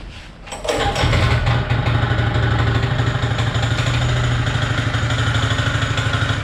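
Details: Honda GX160 engine on a Power Trowel M80H concrete trowel: fires and idles steadily with a persistent hard knock every few beats, a clear knock between crankshaft and connecting rod. The machine is not serviceable.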